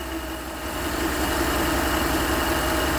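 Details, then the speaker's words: 2011 Chevy Avalanche after a belt and tensioner replacement: steady, even idle with a smooth low hum; the belt chirp and squeak that appeared especially when cold is gone. "all right so yeah just like that the sound went away no more squeaking or nothing chirping whatever it was doing it's quiet now"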